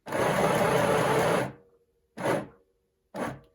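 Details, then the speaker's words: Aldi midi sewing machine on the foot pedal: a light touch makes the motor whir, then lurch in short jerky bursts with pauses. Stop-start jerking that is bad for stitches. "If I only touch the foot, that's what you get, that jerk. Which is not good. It's not going to be good for your stitches."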